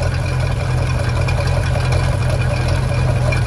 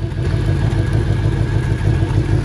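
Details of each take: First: 1996 Bayliner Capri 2050 SS, 305 Chevy V8, after tightening loose rocker nuts: steady deep V8 burble at idle, even firing with no ticking; normal idle after repair. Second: 1996 Bayliner Capri 2050 SS with 305 Chevy V8, sat 14 years: fast light ticking over the low idle rumble.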